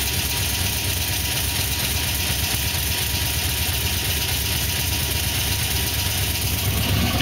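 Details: Pontiac GTO with LS2 V8: steady idle with a light, even rapping under the exhaust note; knocking at idle, owner suspects piston slap, not confirmed.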